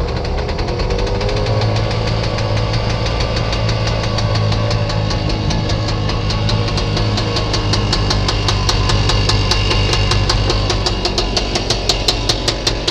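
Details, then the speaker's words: Scootacar starting on a replacement battery after its exhaust was repaired and modified: the small engine pops unevenly, then breaks into a sharp, rapid, very loud crackle. Oil is found leaking everywhere afterwards, source unknown. "as you know I've put that uh modified exhaust louder than ever"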